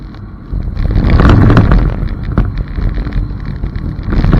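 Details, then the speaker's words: Toyota MR2 at an autocross practice event, recorded from a GoPro under the licence plate amid heavy wind noise: loud, rough low thumping on left turns is wheel hop from a totally blown left rear strut. "That's actually wheel hop. So my left rear strut is totally blown."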